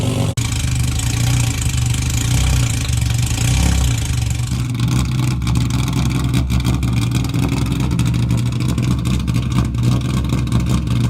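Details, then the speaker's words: Cammed 2021 track Nissan 350Z, stock engine; loud, lumpy idle with uneven stumbling beat, engine flooded from running far too rich, runs badly and had to be shut off. "So it was just flooded because it's running so rich. Even with the stock engine installed, it's crazy loud. You can hear it's not running very well right now."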